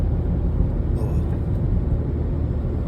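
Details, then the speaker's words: 2004 Cadillac SRX at 40 mph after wheel bearing replacement: soft steady road rumble with no howl or drone; bearing noise gone, slight vibration remains, owner suspects driveshaft hanger bearing; normal quiet driving. "far so good there's 40 listen to that quiet oh smooth I'm very happy"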